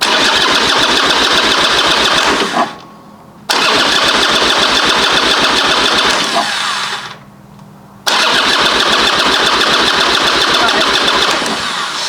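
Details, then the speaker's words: 2005 Harley Sportster 1200 Custom after a new lithium battery was fitted, started in neutral with the clutch pulled: two brisk cranks firing right away into a steady loping idle, a normal start and idle. "Well, it starts and it runs, and it sounds like it's getting enough power for sure."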